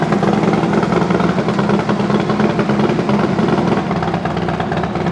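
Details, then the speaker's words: Rebuilt FXD35 V-twin with Thunderheader exhaust, first startup: steady, even idle loping around 150 per minute, no knocking or ticking; brief valvetrain noise at start quickly went away; running healthy. "all right well first startup sounds pretty good obviously uh I don't know if you can hear it through my microphone but even with cranking the oil pressure up you do get a little bit of valve train noise right there at the very beginning but that real quickly went away so that's good"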